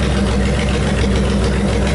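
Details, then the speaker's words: Honda VTX 1800 V-twin after 10 minutes of idling: a deep, steady, even beat with no misses or stumbles. The earlier fuel symptoms came from a blocked fuel tank breather hose; it now runs fine. "I've had an idling for 10 minutes now and um yeah it seems to be no dramas at all us after 10 minutes"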